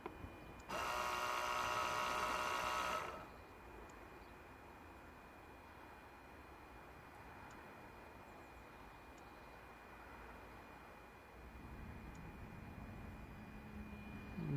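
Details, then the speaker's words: Mazda 3 with ABS and ESP warning lights, code C0020; ABS pump actuator test, camera near pump. Loud electric buzz about two seconds then cuts out; pump motor runs intermittently, brushes suspected stuck or worn, not confirmed. "what's going on here is the brushes on the electric motor were stuck or they are getting low and they start to get stuck and that sort of vibration just made them to move against the motor again and allow the motor to work again"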